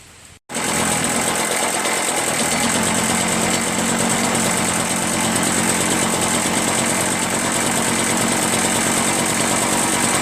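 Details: Curb-found Echo PB-403T two-stroke backpack leaf blower after carburetor cleaning and magneto reinstall, kill wire disconnected: short pull, engine catches into a steady high-pitched buzzing drone without stumbling; running, though owner still plans a new carburetor.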